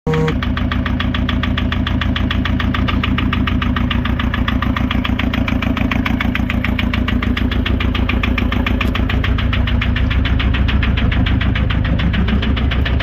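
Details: VW Touran 2.0 TDI BKD diesel at idle: a steady rapid knock about three and a half beats a second over the engine; cause unknown, turbo also leaking.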